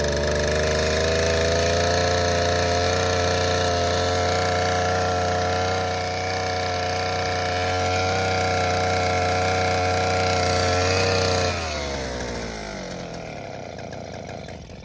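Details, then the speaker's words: Southland 43cc two-stroke auger after fixing fuel flow issue and priming via primer bulb: steady even drone at constant pitch, then winding down smoothly to a stop; running normally. "There you go. I think we got her licked, folks."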